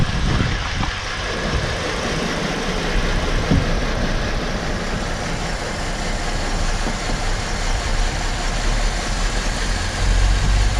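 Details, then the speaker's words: Engine with P0202 code, running rough, lab scope connected: lumpy uneven idle with irregular low thuds two to three per second and shaking; cylinder 2 dead because injector 2 is not firing due to an injector circuit fault. "सो जैसे कि आप देख सकते हैं दोस्तों कि मैंने labs को कनेक्ट कर दिया है और हमारी गाड़ी भी चल रही है, शेक भी कर रही है, यानी हमारा इंजेक्टर नंबर 2 इस टाइम बिल्कुल नहीं चल रहा।"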